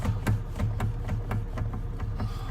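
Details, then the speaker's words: Saturn Vue steering column, under-dash cover removed, before repair: dull low knocks about four a second as the wheel is rocked; loose column joint, fixed by loosening the 13 mm bolt, pushing up and retightening. "this is what are we gonna be working on this part right here as you can hear it's making a weird sound you guys can hear it good"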